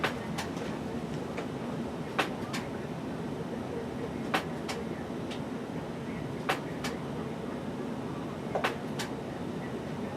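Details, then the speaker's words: Lionel American Flyer FlyerChief locomotive with Universal Remote Controller 6-83071, track power just applied after clearing controller: short paired chirps repeat about every two seconds over a faint hum, signalling power on but no remote control link. "as you can hear the engine is now chirping at us saying power is applied but there is no control so we'll go ahead and tap and release the engine button number one engine but number one now lights up and the engine itself just change from the trip to the engine noises"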